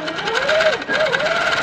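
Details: Handi Quilter sit-down longarm with industrial needle and twin thread, top tension just released; smooth motor hum rising and falling with speed, even needle rhythm, no clatter or thread snag, normal stitching.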